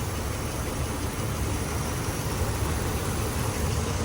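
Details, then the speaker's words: Normal idle on a 2005 Ram Hemi V8 with 155,000 miles, just after a DIY water pump replacement and reassembly: smooth, even, quiet low rumble with no knocks, ticks or whine. "Listen to that cream puff. Guys, listen to how quiet this engine is. Just sit there and listen."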